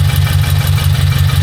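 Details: Subaru BRZ idling after unequal-length header install with stage 2 tune, header leak fixed by tightening and moving gasket: smooth, even boxer idle pulse, no puffing or ticking at header; exhaust sealed, normal idle.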